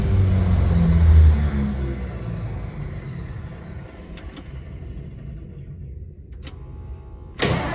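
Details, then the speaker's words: 1953 Pontiac Chieftain, cold start in freezing temperatures after sitting about a month: it catches and runs rough for about a second, then sags and dies before another crank; it won't hold idle. The cold is suspected to contribute. "she's right there she's running and then she dies and it's probably not helping that it's freezing freaking cold out"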